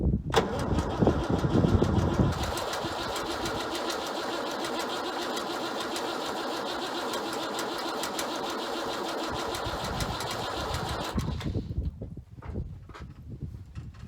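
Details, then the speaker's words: Ford 9600 tractor diesel, 34 °F cold start after filter change and injector pump bleed, with a little ether, some black smoke: heavy cranking, then it catches and settles into even clatter; normal cold start. "Man, I do like that 9600, just listen to that sound. You can hear Dad coming a mile away."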